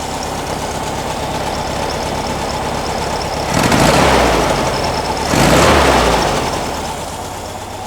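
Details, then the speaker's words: 1957 oval-window VW with an air-cooled flat-four generator engine at a very low idle: the idle is low and lumpy, and two throttle blips swell slowly instead of snapping up, a bog off idle, possibly lean. More fuel is suggested as the fix. "more fuel you got a little bit of a bog to you better all right that's good"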